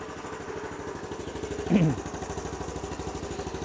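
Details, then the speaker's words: Honda CT110 motorcycle after a basic service, started to idle: small single ticks over with a quick, even putter, steady and smooth without hunting or missing; running way better at idle. "okay power on kill switch back to on now i've remembered everything everything's done up yep yeah that's running way better at that idle"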